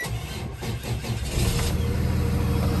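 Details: 2017 Freightliner M2 Champion Defender shuttle bus diesel, cold start at about 30 degrees after the intake heater light goes off: brief cranking about 1.5 seconds, catches cleanly and settles into a steady, even idle; normal cold start.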